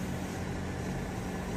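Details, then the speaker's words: Emax Babyhawk-R 3-inch FPV quad on 450 mAh 3S battery, flying in close after a crash: soft even whirring hum with faint steady tone, no rattle or buzz; very quiet normal flight. "just bring it in closer you can hear how quiet it is"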